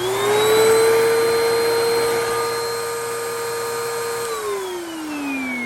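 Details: Simplicity/Riccar Vibrance vacuum that wouldn't turn on, after pressing the tripped thermal reset button: the motor spins up to a strong steady high hum, holds evenly and winds down smoothly. It is running fine.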